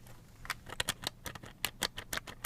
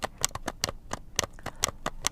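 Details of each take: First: Slot.it 1/32 slot car with body screws loosened about one turn for body-chassis float; light irregular plastic ticking and chattering as the body shifts on the chassis; intended body float rattle. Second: Slot.it 1/32 slot car motor pod on stock fully threaded screws, before swapping to smooth-shank small head screws; dry clicks and scratchy rasps as the pod is rocked, crunchy uneven float from threads binding.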